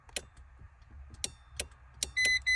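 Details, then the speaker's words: 2010 Renault Twingo Mk2 1.2, key turned: a few sharp irregular solenoid clicks, starter motor not turning, then steady warning chime; cause unknown: no-crank with clicking. "You get stop and you try to start the engine, nothing's happening. You can hear some solenoid sensor"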